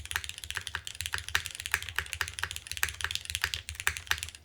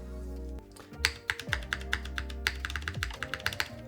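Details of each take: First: KBDFans TOFU TKL rebuilt with updated parts, Cherry MX2A switches: crisp even key clacks, no rattle or ping, some bass thud remaining; much improved. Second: KBDFans TOFU TKL with Cherry MX2A Black switches, gasket mount, case rescrewed: sharp typing clacks with a hollow internal knock still present; owner now suspects the plate hits the bottom case rather than the top, unconfirmed.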